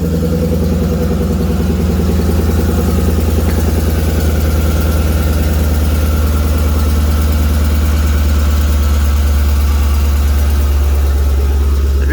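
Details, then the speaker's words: 2012 Jeep Grand Cherokee SRT-8, 6.4L HEMI V8, 98k miles, cold fast idle after remote start: rapid light ticking over deep exhaust drone. Minor leak at the donut gasket where the catalytic converter flange meets the exhaust manifold; fades as idle drops and the engine warms. "the only other con is the fact it has a minor exhaust leak. Let me remote start it again, see if you guys can hear it. You can hear it on startup."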